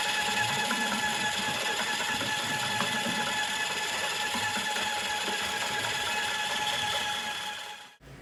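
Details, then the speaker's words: Professional drain snake machine with its cable spinning in a sewer/drain line: steady high whine and chatter, slightly strained, then cutting off — the sound that tells you the cable has caught the clog, after which it can be pulled out. "That sound at the beginning is what you're looking to get. That's when you know that you've caught your clog."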